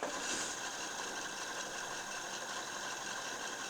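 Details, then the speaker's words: Pioneer CT-777 cassette deck rewinding a 1986 GoldStar HD90 (type I) cassette: soft, even hiss-like whir with no squeal or scraping; rewind is fairly quiet, normal tape transport. "Перемотка достаточно тихая."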